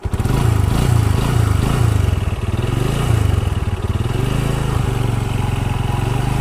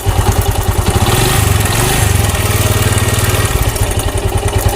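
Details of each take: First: Bajaj Discover 135 single-cylinder, in a timing chain, valve replacement and tappet adjustment job: even thump at steady idle with a settled beat, no loud tappet tick or chain rattle; normal idle. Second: Bajaj Discover 135 motorcycle idling with a fast, even ticking clatter over the single-cylinder thump; timing chain and valve tappet noise, addressed by replacing the timing chain and adjusting the tappets.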